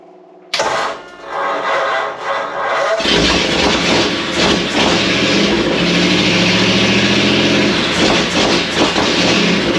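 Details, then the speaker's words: 1937 Ford with a 59AB flathead V8, first start, new Stromberg carburetor, electric fuel pump, 6V system, no radiator or coolant, partial exhaust. After brief cranking it settles into a loud, even rumble on all 8 with oil pressure and no knocks. Carb and timing need slight adjustment. "It seems to be running on 8 pretty good. The carburetor needs a little bit of adjustment. The timing might need just a little bit of adjustment there, but it seems to be pretty strong once it gets going."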